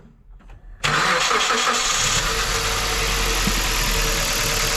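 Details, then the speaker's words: Hyundai i30 wagon with misfire, ignition coils swapped between cylinders to test; engine settles into a very uneven, lumpy stumbling idle. "A jak możecie zobaczyć silnik bardzo nierównomiernie pracuje czyli coś się dzieje"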